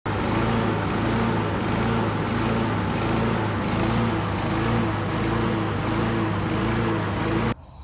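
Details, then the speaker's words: Briggs & Stratton 550EX mower engine with plastic carburetor runs unevenly, speed rising and falling in a repeating cycle; engine surging, RPM hunting. "as you can see the issue with this one is that you have a surging up and down rpms on this briggs and stratton engine"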